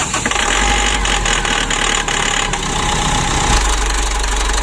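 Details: Mitsubishi Strada Triton common-rail diesel, brought in for hard or no starting with dirty fuel that can reach the supply pump, catches and settles into a steady, even clattering idle with no misfire or hunting.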